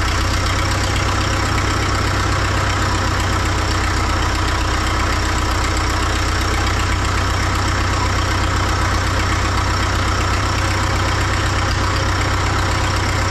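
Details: 1939 Caterpillar D4 D4400 diesel idling after its injectors were serviced and refitted: a steady, even idle with a firm low beat around four per second and an odd faint pop. One injector has a slight seep still to fix, but it sounds healthy.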